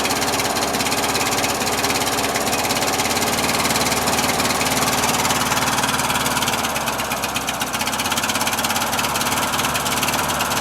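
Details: Briggs opposed-twin engine with Nikki carburetor, on choke, battery probably weak, previously cranked but wouldn't start as if flooded: ragged, uneven running with beat wandering around two per second and raspy exhaust; runs too rich, owner suspects float levels or worn gaskets; fuel pump leaking.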